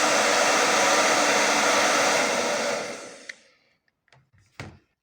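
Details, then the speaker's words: Hair dryer after motor replacement with an aftermarket motor, professional-grade salon dryer used for several years: steady even whoosh at constant pitch, no rattle or scraping, then clean spin-down; repair successful, normal operation. "naprawa się powiodła"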